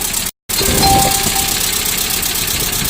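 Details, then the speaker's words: ZMZ 406 carbureted engine in a GAZelle, started on LPG: idle with loose, uneven tapping about four per second over the engine note; engine knock, origin unknown. "пацаны су стук в двигателе земле 406 карбюратор на демонстрируя меня завел на газу"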